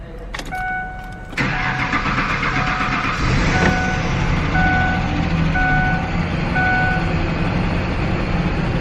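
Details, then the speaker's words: Free Ford Ranger with no audible fuel pump and no fuel at the pressure valve: it cranks and catches on brake cleaner sprayed into the intake, then runs rough and unsteady, suggesting no fuel delivery. "sick it's alive ow are you still spraying it are you still spraying it"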